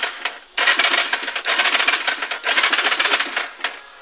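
Bursts of fast dry clicking with no engine turning over; a no-start, with the starter circuit chattering instead of cranking.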